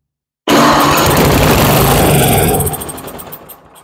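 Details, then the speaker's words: Toro Power Max 828 LE snow blower, 8 hp Tecumseh engine, long unused and not running: with fuel squirted into the cylinder it bursts into a loud ragged run and dies within seconds; engine and spark good, fault in fuel delivery or carburetor. "okay we know we have a good running engine the issue is with the fuel delivery system or the carburetor"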